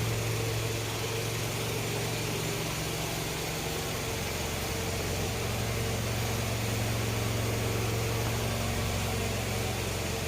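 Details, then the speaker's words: Old Toyota Camry petrol engine at idle after its water pump was replaced: smooth, even idle with a steady low hum. The earlier growling noise had been traced to the water pump by stethoscope. "ya ini setelah diservis ya ganti water pump suaranya seperti ini jadi suaranya kembali halus"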